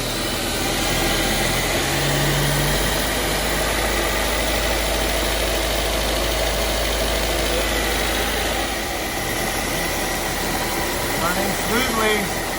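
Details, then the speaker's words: Honda S2000 with Kraftwerks Rotrex supercharger kit after 8-rib ribbed belt conversion, belt freshly tensioned; steady even idle with smooth hum, no knocks, squeals or belt chirp; running normally. "Okay, ready to go. Fire it up."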